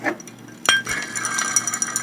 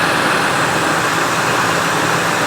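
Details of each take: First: 1999 Ford Expedition 5.4L Triton V8: removed tensioner pulley spun by hand gives loose metallic clinking with its bearings missing; it had thrown a new belt and worn a mark on the replacement within a day. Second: 1999 Ford Expedition 5.4L Triton V8 after replacing idler and tensioner pulleys and a new belt, previously noisy and wearing belts: steady even idle with no chirp, squeal or rumble; belt drive normal.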